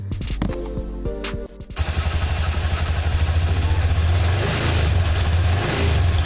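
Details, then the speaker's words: Scooter (automatic motorcycle) idling with a deep, lumpy thud that surges unevenly, about three pulses a second; rough idle blamed on poor-quality engine oil, suspected rather than confirmed, oil change advised. "Jika suara sepeda motor Anda terdengar sangat kasar, ini disebabkan oleh kualitas oli mesin yang buruk."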